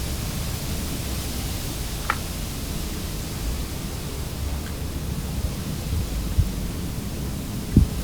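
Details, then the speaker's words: Whirlpool dishwasher that wasn't cleaning well, after reassembly with the fill line reconnected. A steady rushing hiss of water with faint clicks fills noticeably faster than before, a strong, healthy fill. "i turn the water back on underneath the sink and i'm just going to test how well it fills fills up i can hear the water coming in there a lot faster than it was when i first tested"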